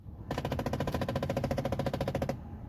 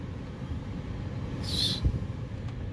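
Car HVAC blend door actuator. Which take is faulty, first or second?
first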